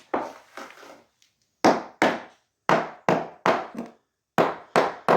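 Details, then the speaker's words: Sharp taps in short bursts ring hollow and papery on a cement screed laid over the original concrete slab; the screed never bonded to the slab and is being lifted with a breaker. "lifted. It hasn't actually stuck to the concrete slab, so we're lifting it."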